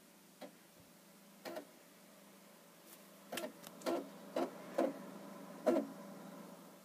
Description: Had this for a couple of days and is making this noise and is very anoying.